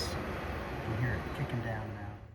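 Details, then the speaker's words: 12V 8kW diesel air heater switched off by holding the panel button 2 seconds: steady low fan hum eases off and fades to quiet; normal shutdown cycle. "All right, to turn it off, I'll just press that for 2 seconds."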